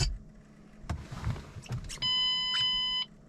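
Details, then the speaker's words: 2005-09 S197 Ford Mustang GT 3V after 4-to-6 gauge instrument cluster swap, at key-on system check in neutral: steady multi-tone chime about a second over quiet idle; tire pressure warning because no TPMS sensors fitted. "don't know why it's angry oh tire pressure fault let's start it"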